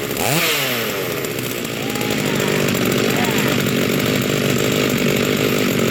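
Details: Rebuilt vintage Stihl 036 chainsaw with aftermarket Meteor piston and cylinder, new crank bearings and seals, new muffler and clutch, rebuilt OEM carb; first start, fires and climbs in pitch, settling into steady crisp buzz without misfires; healthy.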